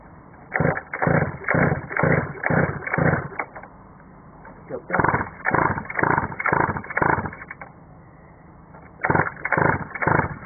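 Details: Mini moto after owner rebuilt the engine end, throttle tied up: pull after pull, short rasping crank about twice a second, never catches; cranks but won't start, owner unsure if it is flooding.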